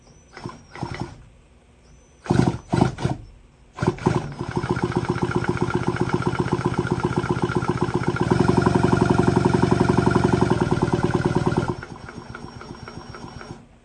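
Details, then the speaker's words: Stihl 034 AV chainsaw during rebuild, crank turned over on bench: fast even chuffing about four pulses a second, no scraping or grinding; crankshaft bearings sound healthy. "Sounds healthy. Doesn't sound like there's any grinding going on, anything out of place."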